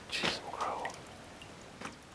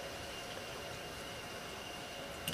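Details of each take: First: Drain valve on an electric heating system: two single drips about 1.5 s apart in a quiet room; leaks no matter how tight, small rubber seal washer to be replaced. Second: Water fill valve after cleaning rust off it, diaphragm in good shape, lever lifted to bypass the regulator: steady, even rush of water with no chatter or hammering; quick fill flowing normally.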